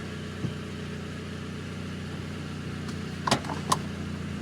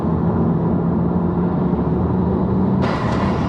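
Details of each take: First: Mk5 VW Golf GTI after engine rebuild, about 10 minutes running before first road test; smooth, even run with low steady hum, no knocks or ticks, slight rise at the end, no oil pressure warning: normal running engine. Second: Mk5 VW Golf GTI on first road test after engine rebuild, under load: steady road drone then sudden sharp whoosh of escaping air; a boost hose came off, engine then cut out.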